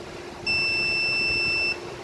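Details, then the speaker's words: Toro TX 1000 Dingo with a no-start fault, ohm-testing the drive-handle neutral switch wires: a clean steady meter beep of just over a second shows continuity, so the black wire is good. The white wire reads open, its copper broken inside from repeated bending. "Now on the black side, the black wire, that one tests okay. We're getting continuity."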